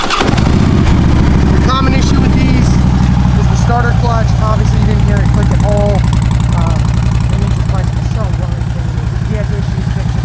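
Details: 2009 Harley-Davidson Ultra Classic, 78,000 miles: fires straight up, settles into steady loping V-twin idle, no knocks or ticking; normal start and idle, healthy.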